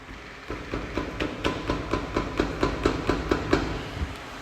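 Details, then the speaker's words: Hyundai HB20, noise when pressing the brake: quick, even metallic clacks about two a second from a loose front brake caliper rocking on worn guide pins; brake caliper knock. "Bora lá pra solução essa folga pessoal é provocada pelos pinos da pinça de freio"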